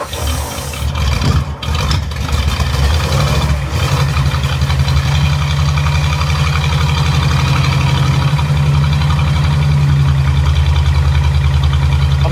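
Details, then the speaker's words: Barn-find Ford flathead side-valve V8 sat 30 years, fuel pulsed into carb by hand every 10 seconds: deep slightly uneven rumble holding several seconds; runs only on hand-fed fuel, no fuel delivery. "nice wow that was good wasn't it wow that's all right it sounds good it sounds really good"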